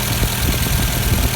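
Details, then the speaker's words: 1986 Volkswagen Cabriolet project car idling in neutral on a very windy day, waiting for the cooling fan to kick in: steady low even idle, no knocks or misses; normal idle. "yep see still runs okay so this might take a minute or so for the for the fan to kick in"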